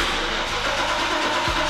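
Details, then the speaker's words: Mercedes 126-series Koenig Specials SEC, sat a while, low on fuel, first start: loud steady V8 rumble catches cleanly with an even beat and brief blip, no misfire; loud pipe, sounds incredible; normal start. "Sounds good. Loud pipe, sounds incredible."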